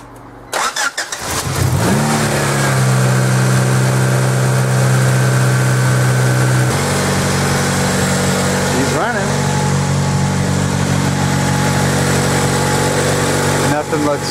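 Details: Honda Prelude starting and idling after replacing the faulty alternator (flickering battery light, charging issues) with a used one; catches quickly, settles into a steady, even idle with no knocks, and the battery light stays off.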